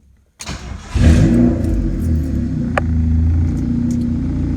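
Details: Honda just fitted with a freshly uploaded Hondata S300 v2 ECU tune, TPS recalibrated: short crank, catches within about half a second, flares, settles to smooth even idle; starts cleanly.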